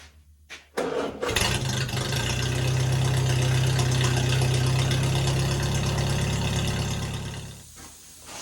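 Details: Flathead-swapped Farmall M after new points, condenser and original plug wires, new intake checked for airflow; catches after a brief crank and settles into a steady, even low idle with no misses; normal idle.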